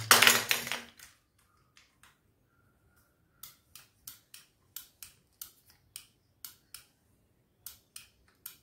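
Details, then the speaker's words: RO water purifier auto shut-off float switch: crisp light clicks about three a second as the float is moved, showing how a working switch should sound, unlike the faulty silent one needing replacement. "तो आवाज आपको किस तरह से आना चाहिए, आवाज इस तरह से आना चाहिए आपको, ये दिखाता"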